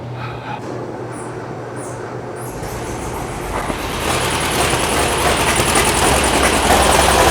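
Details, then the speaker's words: 1982 VW Vanagon flat-four, fuel injection replaced by single 38mm carburetor: loud, uneven clatter with steady popping about three or four a second from a front-side cylinder misfiring; suspected valve hanging open or needing adjustment, not confirmed. "I don't know if you can hear the popping you probably can we have a cylinder on the front side that is not happy um that's that high pit pop pop pop so valve issue maybe"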